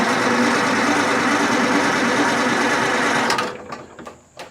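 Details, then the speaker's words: Detroit Diesel 4-71 sawmill engine, unstarted for twelve months, cranked off a jump-start pack to build oil pressure: steady high whirring drone for about three seconds with no firing, then it cuts off; normal cranking, not yet running. "it'll start up it's just trying to get some oil pump going let me crank it for another second"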